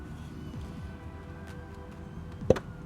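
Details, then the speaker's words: Yamaha R6 after sudden severe engine knock while riding, engine off, piston pushed via screwdriver through plug hole: one sharp metallic clunk from free play; worn connecting rod bearing, needs engine teardown, bearing replacement and cylinder boring. "Вот это и есть износ шатуна. Это плохо. Это означает разборку двигателя, замену подшипников и расточку цилиндров ."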